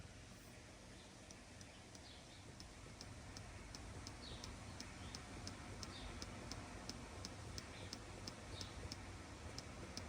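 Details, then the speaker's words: Honda Civic cabin, pressing on a dash area: faint uneven light ticks a few times a second over a quiet hum; dash panels rubbing where they meet, found rattle source. "Okay, believe it or not, I may have discovered it. Have a listen right here when I push down on this area."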